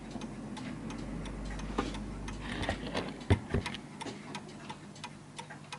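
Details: Bentima Perivale Art Deco 8-day Westminster mantel clock after beat adjustment: steady, evenly spaced tick and tock at about three per second with no limp between them; in beat.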